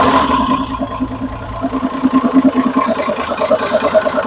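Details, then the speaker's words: Homemade Perkins diesel RV on 1966 GMC bus chassis, parked 30 years, after new injection pump fitted and pump and injectors bled: steady diesel clatter settling to smooth even idle, oil pressure over 40; engine sounds healthy. "oh man it sounds good too"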